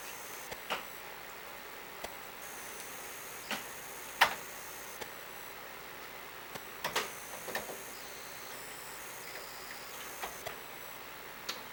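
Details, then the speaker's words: Commodore 1541 disk drive on a Commodore 64: irregular ticks and clicks of the head stepping over a faint hum; motor spins, lights come on, loads only partly; intermittent read failure, cause unknown. "uh it gives me the same thing that this is still intermittently giving me which is a the motor will spin when you turn it on lights come on motor stops spinning everything seems fine"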